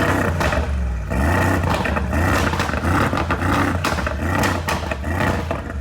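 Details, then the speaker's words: 2022 Mercedes G63 V8 being rebuilt after a wreck, not yet warmed up, after a part was straightened and refitted: a steady, even low rumble with smooth throttle blips and no choppy stumble or misfire. Normal running. "it doesn't sound like choppy like a tractor let me go on that side dude that sounds [Applause] good dang and it sounds doesn't sound like a misfire or anything dude"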